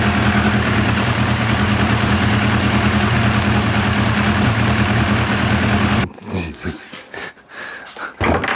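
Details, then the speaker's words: 1990 Kawasaki ZZR1100 during carb sync: lumpy, uneven idle stumbles for six seconds, then cuts out and sputters, running horribly because the fuel ran out and the float bowls ran dry; rough running from fuel starvation. "so focused on trying to get everything adjusted right and it was running horrible i hadn't noticed that this would run out"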